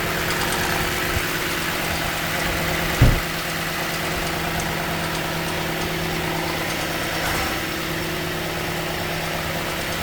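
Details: 2015 Toyota Sequoia V8 idling while warming up in the morning, starting 3–5 minutes after start: faint light ticking over the hum and one sharp click; stopped when driven to the dealer; owner wonders about a timing tensioner, unconfirmed.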